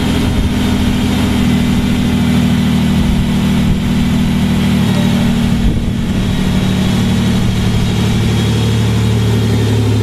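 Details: Mazda / Ford Ranger after engine swap, first start of new engine: settles into a steady, deep even idle with no misses or knocks; exhaust leak found at EGR valve connection, to be replaced.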